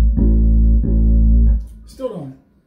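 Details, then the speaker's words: Hartke 3500 bass amplifier with solid-state preamp turned down (tube preamp down earlier made no difference): heavy buzzing fuzz on every plucked note persists, knobs silent so pots probably clean; bass amp distortion, source unknown. "let's turn down the solid state preamp I still got the distortion I can still hear it and notice the the knobs not making any noise so pots probably clean"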